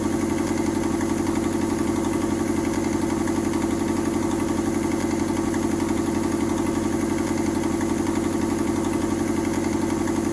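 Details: Mazda 121 (Metro) petrol engine idling with an exhaust leak: steady idle with a regular puffing tick, about four a second.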